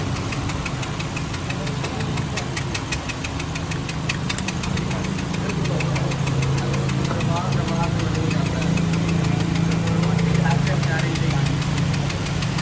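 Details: Honda Civic engine at steady idle with light, fairly even tapping about three to four times a second; engine knocking noise, cause unknown.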